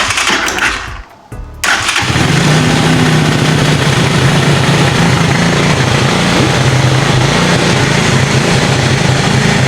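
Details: Cheap used ATV quad bike after new wiring loom, cleaned carburettor, new spark plug, CDI, regulator, battery and clutch: brief crank, then a steady fast single-cylinder putter with no misses; starts and idles properly.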